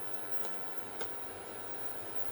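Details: Bluetone induction cooker after repair of tripping breaker/no-power fault: at level six drawing about 5 A, then at maximum power, heatsink around 23 °C, a steady very high-pitched whine over faint hiss, no clicking or buzzing; normal coil whine.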